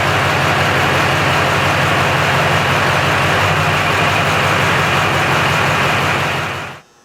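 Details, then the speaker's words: 2002 Chevrolet Silverado 3500 after upgrading the 105 amp alternator to 130 amp: steady, even idle with a smooth low rumble and no squeal or chirp from the belt; sounds healthy before shutting off. "okay so everything sounds good"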